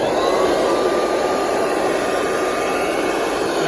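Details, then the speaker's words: Kirby Heritage vacuum found curbside, corroded, no brush roll: smooth steady rushing whine at one pitch with no grinding, rattling or bearing squeal; normal vacuum motor running. "runs perfectly. There's absolutely nothing wrong with that motor. That sounds so healthy."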